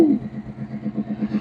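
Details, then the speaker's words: 1935 Ford sedan barn find with a 302 Boss V8, first start in decades, moisture inside: low, gently pulsing V8 idle holding a steady lope, no knocks or misses; a healthy warm-up idle. "But sure is good to hear that truck running."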